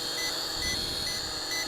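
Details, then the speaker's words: ATTOP W8 GPS camera drone in flight; short high beeps about every half second over the steady motor whine, cause unknown though the battery reads 39%; warning beeping. "I am not sure why that's beeping because it says we got 39% power"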